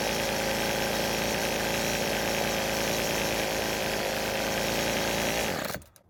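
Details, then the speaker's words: Rebuilt string trimmer, warm: steady high-pitched buzz holding even revs for several seconds before shutting off; engine running smoothly and healthy. "so the engine is running really well but the only thing left now is to let the engine cool down and do a cold start which i did off camera after filming"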